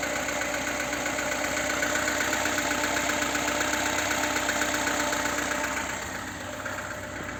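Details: VAZ 2107 (Lada) engine at steady idle with a regular light knock two or three times a second over the hum; engine knock, cause suspected but not confirmed.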